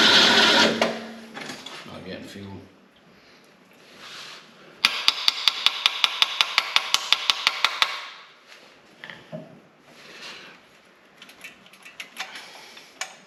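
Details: 1970 Ford Torino GT off the road since 1992, engine previously locked up, carburetor just refilled: sharp, even cranking about six beats a second for three seconds, then dies without firing; cranks but won't start, suspected out of fuel.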